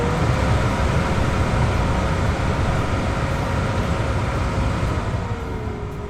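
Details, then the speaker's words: 2006 Volvo XC90, 219,000 miles, new blower motor and resistor tested before final mounting: steady airy fan roar with a faint motor hum, winding down at the end, with no rattle like the old motor had; normal blower operation. "okay sounds good so what it used to do is like a little little rattle type sound that's really good news that's awesome"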